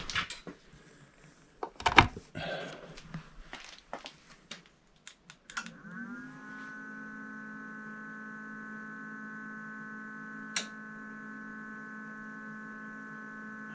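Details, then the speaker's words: Power station/solar generator after replacing the blown 20 A 250 V PCB-mounted fuse that prevented AC charging: clicks from handling, then a steady even hum as it charges on AC and the display returns; normal AC charging. "sounds like it's charging. There we go, we got a display now."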